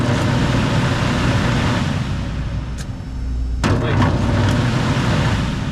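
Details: Older belt-drive furnace blower after belt tension adjustment on a no-heat call (old motor): steady low rumble with one brief click, no squeal or slipping; normal blower operation.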